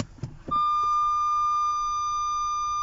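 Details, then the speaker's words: Nissan Qashqai J11 after replacing the rear parking sensor speaker (part 25650 6024 R), ignition on, reverse selected: loud, clean, steady high-pitched tone, louder with the trim cover off. Normal parking sensor warning after repair. "you should have to hear that's much better i use my foot for me so you can tell that sounds a lot better"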